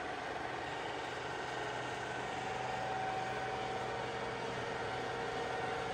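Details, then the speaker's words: Kaoming KMR-1600 DH radial arm drill (1600 mm arm, 60 mm capacity, MT5 spindle, hydraulic clamping), spindle at maximum 1580 rpm: soft, even mechanical hum with faint steady tone, no knocks or grinding; normal, near-silent running. "working of spindle at its maximum speed there is 1580 rotations per minute as you can hear there is no noise at all even at it's high RPM also it's completely silent"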